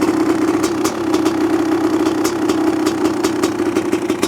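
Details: 1985 Honda CR500 two-stroke engine in 2007 CRF450R chassis, after choke off with muffler fitted: steady even idle, crisp regular exhaust note, no misses; running healthy, slightly rich and smoky.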